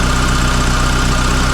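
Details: Mitsubishi Lancer CE idling after start, fast idle settling down: steady low idle with quick even pulsing thump and an extra unidentified noise underneath; source unclear.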